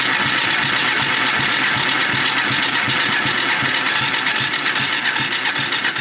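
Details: Four-wheeler ATV single-cylinder engine started with starter fluid after sitting, just after new ignition coil and fuel filter; pulsing about 2.5 beats a second with hissy top end; runs, carburetor may still need adjusting.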